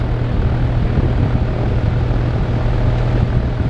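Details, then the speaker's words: Dayton 2MA11 24-inch ball-bearing fan with its 20 µF capacitor swapped for 8 µF, slowing it to about 900 rpm; a smooth airy whoosh over a soft hum, down from about 73 dB to the mid 50s: normal reduced low-speed running. "no way come on this thing is yeah about 900 rpms maybe a little less and you can probably hear it's not quite that loud"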